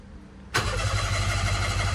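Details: Mira with suspected fuel-pump failure after being rear-ended: starter spins the engine at a steady churning rhythm but it never fires; no fuel pump priming heard even after relay bypass attempts. Cause suspected, not confirmed.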